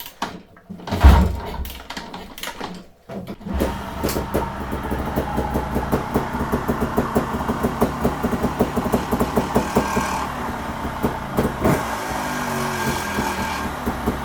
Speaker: my thinking is that that is the flywheel coming loose um I'm hoping it's the flywheel coming loose but it's not the first time it's done this